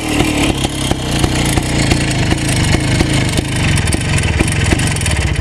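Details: Minsk M105 two-stroke motorcycle after a major overhaul with a new piston set: crisp, even idle popping that picks up cleanly with small throttle blips, no knock or rattle; healthy engine.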